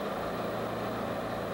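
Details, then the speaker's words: Toyota 4FG/4FD forklift with a 5R engine at full throttle, tilt lever back and mast held in hydraulic relief: a steady heavy drone pulling down evenly with no surging. Speed drops from the no-load governed maximum; the spec drop is 200 rpm. Normal. "while you are running the engine up to full speed keep an eye on the tack you will notice a drop from the no load governed maximum speed"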